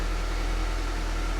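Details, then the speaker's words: Nissan 200SX cold start right after replacing the mass airflow sensor (its only stored code): steady low hum, smooth even idle with no misses or knocks and no smoke; normal cold idle. "okay it runs and it's running well cold start so let's see if we get any smoke"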